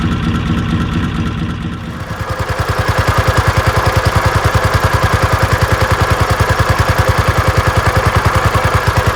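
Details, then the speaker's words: Inboard motor in a traditional sailing trailer boat, ticking over quietly; even, steady thump about 3.5 beats per second with no clatter or misses: smooth, healthy idle. "this next section is for old farts who relish just to watch engines ticking over quietly and can do that for hours on end"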